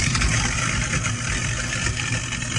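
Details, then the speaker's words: CLEESINK air switch kit test: garbage disposal plugged in under the sink and switched on with the air kill switch. It gives a constant low motor hum and rumble, smooth and unbroken, with no grinding, rattle or strain, so it is running normally. "So we have the garbage disposal plugged in right here, and it goes all the way down under the sink, as we can see here. Now all that's left to do is go ahead and hit my little kill switch, which I'm going to do."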